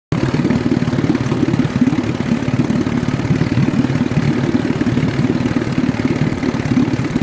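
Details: Two-stroke outboard idling unevenly, with irregular skipping beats and a clattery stumble; the misfire is traced to spark tracking in the ignition.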